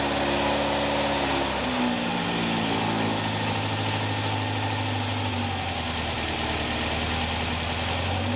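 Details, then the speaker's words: Caterham Super Seven 1600 engine with #60 idle jet fitted: revs drop into a steady, slightly heavy idle, no stumble or pops; backfiring gone but jet judged too rich, afterfire worse. "The #60 idling jet is definitely too thick for this car, but I can now run it without backfiring!"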